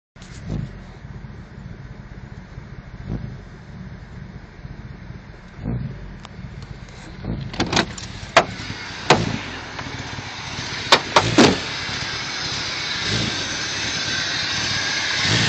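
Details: 1998 Jeep Cherokee: uneven idle with irregular low thumps and stumbles, a misfire and sputter that turned out to be a faulty O2 sensor, occurring only once.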